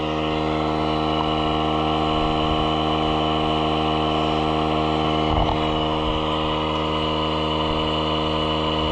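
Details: Small air inflator pumping up a tire: steady, even buzzing drone at constant pitch with a light pulsing beat and no rattles, inflating quickly; running normally.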